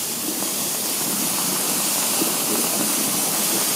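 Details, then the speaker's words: 5000-litre hot water tank being drained: a steady, airy hiss of air drawn past the loosened manhole flange gasket to speed draining. A steam leak on the condensate return is also in the background. "Donc là pour aller plus vite, j'ai desseré le trou d'homme et on entend l'aspiration là. Ça c'est l'air qui passe là."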